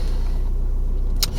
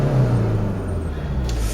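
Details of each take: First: 2009 (58-plate) Ford Mondeo 1.8 Duratorq TDCi diesel (QYBA) at idle after fitting a replacement injector for a 1500 rpm misfire: low, even diesel rumble with steady beat, no skip or stumble; runs smoothly, misfire fixed. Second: 2009 (58-plate) Ford Mondeo 1.8 TDCi Duratorq QYBA diesel shakes at 1500 rpm and drives fine once the turbo comes in; held mid-rev drone with uneven lumpy pulse, low-end diesel knock and misfire.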